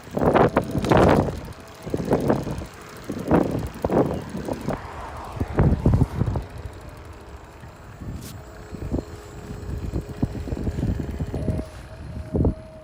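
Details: VanMoof S2/S3 e-bike recorded while riding on a commute: light sharp clicks about one a second, then quicker, over a quiet ride with some wind; the maker says this is normal; normal hub motor clicking.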